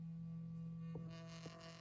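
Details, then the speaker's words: iPhone 13 with quiet earpiece and speakers, bottom speaker playing a 165 Hz cleaning test tone: a steady low hum plays cleanly, then a rattly buzz joins as a finger presses the grille; the speaker itself is working. "That's from my finger sitting on top of the speaker. So those ones should be fine now."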